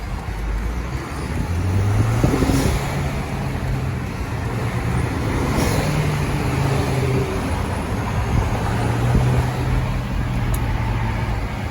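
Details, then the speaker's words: Audi A4 B6/B7 1.8T after installing a catless downpipe and fixing an exhaust leak, muffler retained, driving in traffic: even low exhaust drone, not loud, no ticking or puffing; normal exhaust note. "yeah so it's not it's not that loud it's not that loud because i still i still got my um it's not loud because i still have my my muffler on"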